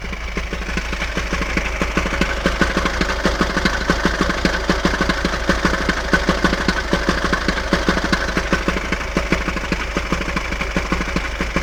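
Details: Hyundai ix35 engine idling with a steady, fairly regular tapping about 75 times a minute over the running note; the source of the noise is unclear: engine noise at idle.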